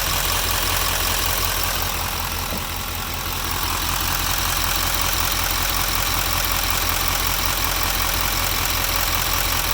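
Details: 2016 GMC LML diesel truck, full delete, idling; steady even click-knock about two to three times a second, unresolved after injector cleaner was added.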